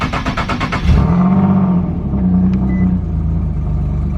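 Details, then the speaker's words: Turbo 370Z NISMO, not hitting max boost, on a cold start after sitting a couple of days: revs flare, then sag into a lumpy idle with an extra puffing exhaust note on one side. Smoke test found an exhaust leak. "if the rpm is going to drop down we're going to hear an excessive amount of exhaust notes coming from this side of the vehicle and then it's gonna rev right back up"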